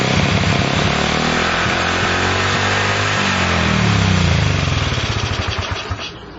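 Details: Honda CL70 single with idle set higher than before: revs up unevenly, then the note sags and fades as the throttle opens, bogging off idle. Jets already raised 73 to 75 and 38 to 40; cause suspected, not confirmed.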